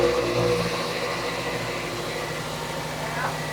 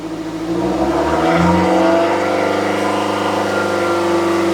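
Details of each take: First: 2006 Toyota Matrix 4WD, exhaust forward of muffler replaced within two years; noise seems to come from the rear. Revving gives a muffled, choked note lacking crispness; owner suspects the muffler disintegrating inside, causing restriction. A small leak was later seen at the muffler clamp joint. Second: 2006 Toyota Matrix 4WD revved after replacing the muffler and adding the missing exhaust gasket under the clamp. Smooth, even exhaust note with no puffing or ticking at the gasket joint; exhaust sounds healthy, no leak.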